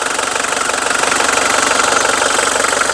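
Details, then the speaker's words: Mitsubishi Strada 2.5 diesel pickup, registered 1997 with a 2005 front conversion. The idle clatter is even and steady, with no knocks or hunting. There is no white smoke, it drives long distances normally, and the seller says the cooling system circulates well with no coolant pushing out. "เสียงเครื่องเพาะนะครับรถไม่มีควันขาวนะครับผมขับทางไกลได้ปกตินะครับ"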